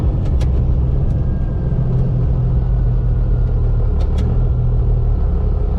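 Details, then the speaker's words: First-gen Cummins diesel truck, automatic transmission after over a year of extreme abuse, mild acceleration with locked shifts: even drone, no flare or slip, shifts more solid, no second-gear sponginess; normal shifting. "The shifts must be a little more solid. Definitely no sponginess in second gear anymore either. This is going to be mild acceleration locked shifts."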